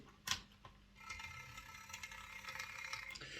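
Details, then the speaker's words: Hornby 08 Shunter on test track: gear motor whirs with an irregular thump and uneven running, wheels fine; suspected bad worm-to-drive gear mesh, found to be fluff jammed in the worm gear. "this is running it's uh it's making this like thumping noise and it's not running too smoothly um and i can't see any reason for that the wheels are all fine everything's you know everything's as it should be so i'm wondering if there's a bad mesh between the worm gear and the drive gear"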